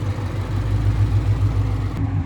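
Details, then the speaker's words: V8 with 84,000 miles at a Copart salvage auction in South Carolina: steady, even burble at idle with AC running, no knocks or misses; airbag light on; sounds healthy, though check engine light may return later. "Sometimes the check engine light will come back on later, but that sounds healthy."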